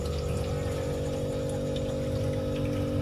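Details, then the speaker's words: Refrigerator not cooling after two compressor replacements, listened to at the evaporator: steady low pump-like drone with trickling, gurgling water-like sound inside. The system needs repeated flushing until the gurgle disappears. "suara airnya ini teman-teman tuh ya ini harus suaranya harus hilang suara gemericik air harus hilang"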